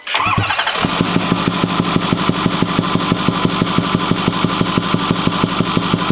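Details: Ford 6.4L diesel at 208,000 km (129,000 mi) with a Banks 6 Gun and Ram Air air cleaner: starting and idling with a steady thump about three times a second from the intake over the clatter. The engine runs smoothly with full boost; the cause is unknown.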